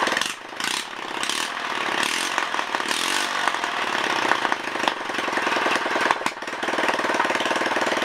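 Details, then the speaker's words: Honda ES4500 generator engine, test fired after rebuild with no exhaust fitted: loud, raw unmuffled bark that settles into a steady, even beat after the choke. Runs cleanly. "sounds good guys looks like we got a running motor again"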